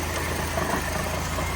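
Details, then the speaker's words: Barn car bought in 2017 that sat for years by the ocean, with debris in its fuel tank, running after about 3 years stored: steady, even low rumble with no skips or stumbles; idling smoothly with no misfire yet. "Listen, it's running perfect. It's not even misfiring. It's not even misfiring yet."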